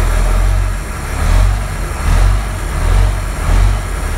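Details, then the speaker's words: 1993 Ford Louisville L8000 diesel truck, first run after sitting about 11–13 years, oil pressure gauge reading 80: deep steady rumble rising and falling with throttle, smooth, no knocks or rattles; normal revving. "If I move the throttle. Yeah? Yup. Oh, this thing's great. Oh, it runs. It actually runs good."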